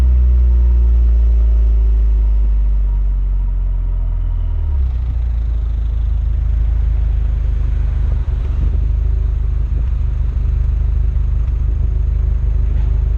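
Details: Renault Megane R26 230 F1 (petrol) with the 'Megane cough' while driving: a deep steady engine drone with an occasional brief stumble around eight seconds. Intermittent misfire that persisted after an injector change; cause suspected, not confirmed.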